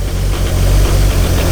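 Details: Highly modified 1999 Nissan Skyline R34 GT-R, T88 big turbo, Getrag gearbox with twin-plate clutch: steady low idle with uneven chunky rattle over it; known twin-plate clutch rattle, unsure if anything wrong; twin-plate clutch rattle at idle.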